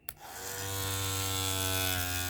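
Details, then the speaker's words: Surker hair clipper after cleaning and reassembly, blade refitted with spring pins in the plastic insert: bright, steady buzzing hum right after switch-on, no rattle; reassembled correctly, running quietly. "If it's quiet, you did it right. If it rattles, you got to do it again."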